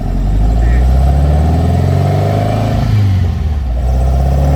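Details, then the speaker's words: 1957 VW Oval ragtop with a 2021 cc air-cooled engine and Weber 44 carbs, which ran badly at low speed, driving after the carbs were set: a deep, even drone that pulls cleanly while accelerating, with no stumble or popping. Normal running. "Está bajando muy bien. Sounds good. Sounds really, really good."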